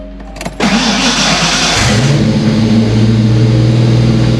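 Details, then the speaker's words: Foxbody starting after replacing starter-to-relay wire to cure a dragging starter; brief crank, clean catch, steady idle, starter disengages properly with no dragging. "did it works great now no dragon on the starter start a disengage like it's supposed to"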